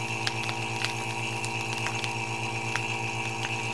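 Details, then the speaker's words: Freeze dryer setup using a vacuum needle to pull vacuum from a bag: a steady low pump hum with faint ticks and pops as the contents compress. This is normal drawdown, left about 15 seconds until the crackling stops. "so you turn that on you see that thing pulling a vacuum out of there and it works really well"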